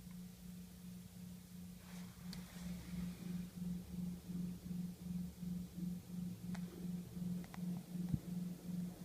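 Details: OPT7 H11 LED low-beam bulbs on a 2012 Camry Hybrid: low, steady hum with soft whirring pulse, heard inside the cabin at idle/EV mode; it stops when the low beams are turned off.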